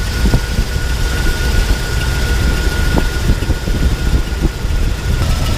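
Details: Jeep Wrangler 4.0 with a distributor ignition and a dead miss on two cylinders; head gasket failure is suspected. It has an uneven, lumpy idle with an irregular low thump, and injectors are unplugged one by one to find the misfiring cylinders.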